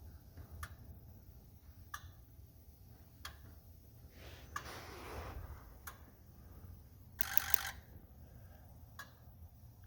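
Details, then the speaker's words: 2004 Ford 6.0L Powerstroke, rough running; scanner injector self-test rerun after fixing up wiring: sharp single clicks roughly every second in a quiet shop, number two missing from sequence; harness replacement and valve-cover work to follow: silent injector. "well basically basically I said I ran this test and I still am missing number two out of there go ahead and run this test again"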